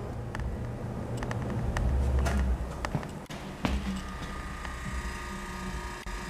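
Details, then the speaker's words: Antique GE Monitor Top DR-1 refrigerator after repair and evacuation, with new top gaskets; low, soft steady compressor hum under handling clicks, running quietly with a little warmth in it as wanted; healthy. "Still running quietly, just a little bit of warmth in it like you want."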